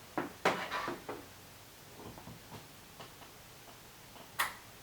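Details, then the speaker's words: Samsung PN51D495 51-inch TV with no power: on plugging in, the relay clicks trying to turn on, the red standby light blinks, then it shuts off; repair is replacing the Y main board and checking the Y buffer board. "the problem with this TV is that you plug it in and then uh you can hear a clicking noise which is basically the relay trying to turn on the TV and then the uh red uh light starts blinking uh then nothing happens"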